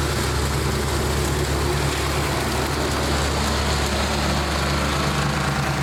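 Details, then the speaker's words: 1999 Snapper 28-inch riding mower with 10 hp Briggs single-cylinder engine, first run of the season: slow, loping, uneven idle close to stalling; idle set too low, a different carburettor possibly needed. "That's it. Really low idle. Hear it. That'll have to be for another day."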